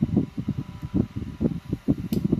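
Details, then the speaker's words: Consul/Brastemp BRM/CRM refrigerator control board startup routine test (defrost heater, then micro fan, then compressor): small micro fan spins up with quick even low pulsing, no scraping or rattle; normal fan startup. "Vai desligar. E quando desligar, liga o micoventilador. Ó, ligou o microventilador e agora vai entrar o compressor."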